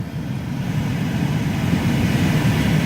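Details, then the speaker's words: 2009 Mini Cooper S cabin blower on high after freeing a stiff, stuck blower wheel with spray lubricant (it squealed at first): steady, even whoosh with no squeal, rattle or scraping; normal blower operation. "And it had a little squealing noise when it first started going, and I just kept spraying it up in there, changing the speeds up and down, sprayed it all up in there, and there you go. It sounds perfect."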